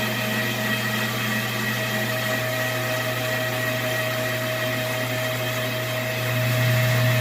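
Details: Washing machine on spin test: steady motor hum with a fixed tonal drone growing louder. Water is not draining and rises in the tub; a restriction in the washer drain pump is suspected.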